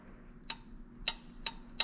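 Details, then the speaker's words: Truck heater thermostat switching on and off in a system where dual batteries power the hose reels and heater: four crisp, irregularly spaced clicks over a quiet background. Normal thermostat relay click. "hear that little click there oh that's the thermostat turning on and off"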